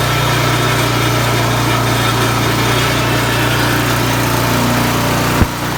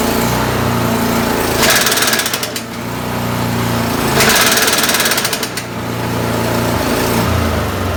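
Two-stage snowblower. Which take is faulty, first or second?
second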